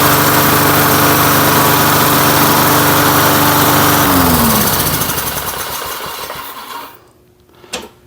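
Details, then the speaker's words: Lawn-Boy Silver Series 10302 two-stroke mower, sat 15 years: steady even buzz at fixed speed for about four seconds, then winds down and stops; healthy running. "no freaking way I I can't believe that I can't believe this thing just started up and runs like that"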